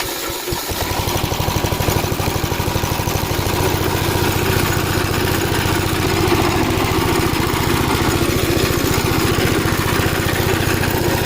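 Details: Gravely Model L tractor with governed single-cylinder engine, after replacement of a blown head gasket: steady, even thumping at constant governed speed with no knocks or misses; runs really good, though an oil leak is still being traced.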